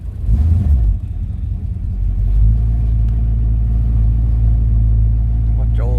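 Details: Shelby GT500-style Mustang V8, cold start after sitting about a week, pedal pumped twice; catches quickly, flares briefly, settles to deep even idle, no misses, oil pressure coming up; normal cold start and idle.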